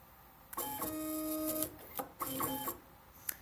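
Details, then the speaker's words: Cable-drive tool changer with a TMC2660 stepper driver picking up the first tool. A steady stepper whine is broken by sharp irregular clicks as the motor skips steps because stall detection, tuned less sensitive, does not trip immediately. "so I don't know if you can hear that clicking sound that's this that's again the stall detection not tripping immediately"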